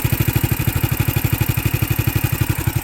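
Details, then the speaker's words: Electric-start 420cc Predator single-cylinder engine swapped into a Hyundai golf cart with stock transmission, $50 CVT clutch, welded 90-degree header, choke cable not yet hooked up; even steady low thumping idle, no misses, set about as low as wanted while still grabbing. "about as low as an idle as I want, so it still has enough to grab."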